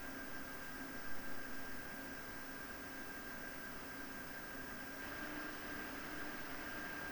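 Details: PowerColor Radeon RX 7900 GRE Fighter graphics card fans: smooth steady rush of air building slightly, faint constant whine, no rattle or grinding; slight metallic tone comes from the cooling fan, otherwise healthy.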